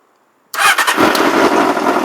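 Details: 1994 Honda CBR600 F2 with dead battery, previously weak starter, jumped from a switched-off Toyota truck: silence then engine catches at once into strong steady run; normal start.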